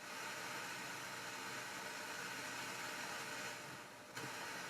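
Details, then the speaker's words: Sansui 9090 receiver on first power-up, drawing about 35–50 W, on FM: steady, even hiss across the range with no hum or rhythm from the left channel; noisy left channel, cause unknown. "that's left Channel that's quite noisy considering or hang on I'm on FM yeah noisy still on Left Channel"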